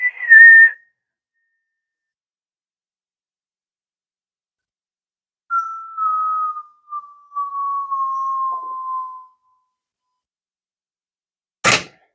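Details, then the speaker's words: Revox M77 MKI tape recorder during restoration playing a signal-generator calibration tone near 1.4 kHz; the pitch slides steadily down over four seconds as the tape drags and slows. "you see the um the tape is slowing down and you can hear the the"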